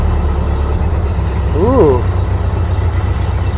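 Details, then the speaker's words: 1930 Ford Model A Deluxe Coupe four-cylinder, long stored, running with coolant after distributor and choke reassembly: low steady idle with even beat, no knocks or misses; smooth normal idle. "Nice and smooth. This thing sounds good."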